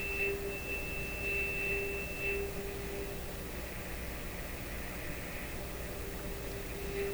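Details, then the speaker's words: PYE Model 762 shortwave receiver (about 70 years old), final alignment after switching to a bigger screwdriver: steady pure tone holds firm over faint hiss; trimmer tuned for maximum meter, receiver aligned. "i think i got it that time [Music] bingo tuned for maximum meter there we are"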